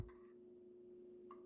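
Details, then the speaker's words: Jaguar XK8/XKR centre console cupholder lid, console removed, after lubrication: lid now opens smoothly but gives a single light plastic tick at full open as the lid bottom strikes the cavity bottom; a felt pad is considered as a fix. "So what happens is, as the lid opens to the end, the bottom of the lid touches right here, the bottom of this cavity, and you get this clicking sound."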